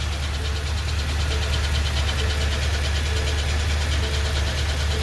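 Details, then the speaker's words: 2020 Ford F250 Super Duty 7.3 Godzilla, ten-speed transmission, in drive with e-brake and brake on, off gas: steady low drone with faint repeating hum/grind; disappears in park or on throttle; owner suspects defective transmission. "it's in drive i got the e-brake on and it only happens when it's in drive and you got your brake on that's it as soon as you push the gas the sound goes away"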